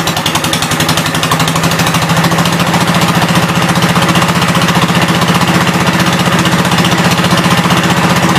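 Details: 1972 Gravely 430 single-cylinder tractor engine running normally after fuel system restored up to the carburetor (small drip at fuel pump inlet): rapid, even chuffing at steady speed, no knocks or misses; high-low axle works, moves forwards and backwards.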